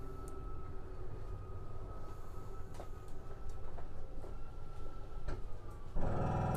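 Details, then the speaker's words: 2021 Stratus 281VBH, flush-floor slide-out extended by holding the out button: steady motor drone with light clicks as it travels, then a loud ratcheting at the end meaning the slide is fully out and drops flush; normal. "the other switch right below that is for your slide out so just like the awning press and hold the out button and the slide will extend this is a flush floor slide"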